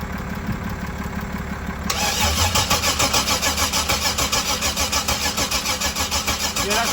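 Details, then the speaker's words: 1994 Chevrolet Camaro, crank no start; starter turns the engine at a steady beat of about 200 a minute but it never catches; ignition checker shows coil pulse not matching engine rotation, no ignition signal, possibly a bad ECM, unconfirmed. "You got the pulse of the pulse of the coil pack's off. It's not consistent with the crank of the motor."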